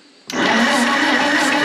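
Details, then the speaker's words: Pony (starting) motor on a late-1940s/early-1950s Caterpillar D6 cable dozer, sitting for years in a barn, tried on electric start instead of the pull string: after silence the starter engages and cranks steadily, and the engine turns over fine. Normal cranking. "we're going to try and start it with electric start first thing we need to do is to see if it will actually turn over"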